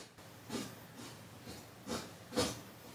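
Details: Vintage quadraphonic amplifier SB-4045S during service: short bursts of scratchy hiss about every half second as the knob turns; dirty potentiometer crackling, needs cleaning.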